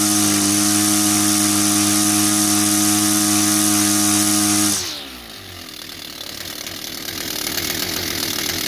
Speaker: So we basically put everything back together, and as you can hear, it runs a lot better than what it was before. So the main issue was the exhaust port was blocked out with carbon deposit, and the carburetor needed servicing.